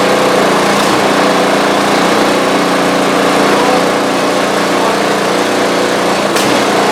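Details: Newly assembled new snow blower with fresh oil and gas, run to check the augers engage: steady, even buzz from the small engine held at constant speed, no misses or knocks; runs cleanly.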